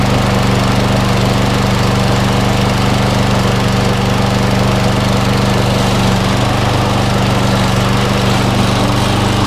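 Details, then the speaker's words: Briggs & Stratton engine on Viking MB545VR mower after replacing bent crankshaft with donor: steady even putter, no knocks or misses, running healthy. "yeah it looks fine looks fine guys for me sounds like a perfect yeah"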